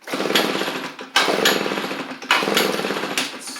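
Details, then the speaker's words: Echo PB755ST backpack blower before carburetor kit, runs on choke but quits off choke or on throttle, likely bad carb diaphragm; catches in short bursts about once a second, fades and won't hold speed; faulty carburetor. "You can hear it hit just once. Whatever you try and give it in. And it just quits whenever you take it off the choke."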